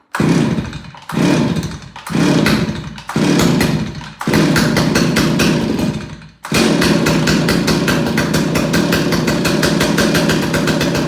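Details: Stihl 028AV Wood Boss chainsaw after carburetor clean and rebuild, on choke, before tuning the adjustment screws: five or six short pull-start bursts, then catches and holds a fast, even buzz with no stumble; normal running.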